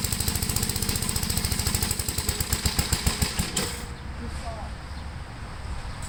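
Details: 1973 Gravely C8 single-cylinder tractor with mower deck on PTO, transmission in high gear, mowing test after points cleaned and regapped and carb adjusted: thumping slows, labours and nearly stalls, bogging under load; it also overheated, and governor is suspected.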